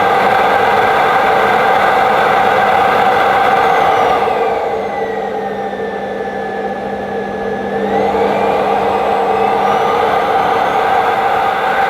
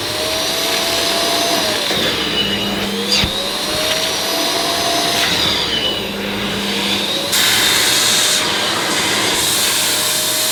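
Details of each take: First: Ufesa Zelmer 4-in-1 vacuum switched on for the first time, hose not yet fitted, power setting uncertain: loud, steady whirring roar with a hissing rush mostly from the open inlet, powerful and healthy suction. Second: Ufesa Zelmer 4-in-1 vacuum's suction motor picking up dirty water with the small head on rubber-backed carpet: high roar dipping and recovering every few seconds, the motor surging because the carpet seals off the nozzle.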